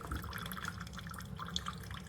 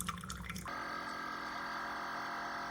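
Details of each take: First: Chefman single-serve drip coffee maker (K-Cup and ground compatible) brewing after warming up: soft, irregular dripping and trickling over a low steady hum, quieter than a Mr. Coffee; normal brewing. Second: Chefman single-serve K-Cup/ground drip coffee maker near the end of brewing: after a brief splash, a steady droning buzz with a whiny edge; an unusual pump noise, cause unclear, water not boiling hot.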